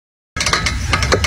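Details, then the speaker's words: Quick, uneven metallic clicking over a low rumble from a car; worn outer CV joint (driveshaft outer joint) suspected, not confirmed. "La cage extérieure de la demi-arbre fait du bruit."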